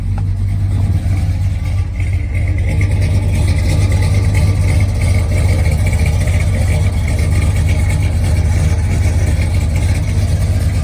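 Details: Custom-built restored 1992 Ford F-150 with Tri Star-built 351W V8: deep, steady low rumble with even firing beat, no knocks or ticks, idling around 750–800 rpm; normal idle.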